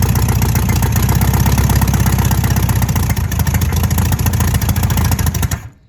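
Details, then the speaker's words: 1968 VW Beetle air-cooled engine, first start after sitting about 35 years: rough, uneven loping firing about four beats a second, then it dies out; runs briefly then stalls, owner suspects a carburetor gummed up from sitting. "We did have it running though. So that counts. This carburetor's probably all gummed up inside. It's all them years of it sitting."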